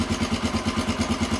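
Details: 1993 Honda XR250L single-cylinder dual-sport, running again after sitting two years and a battery swap: even thumping idle about eight beats a second, steady, no misses or stumbles; healthy idle.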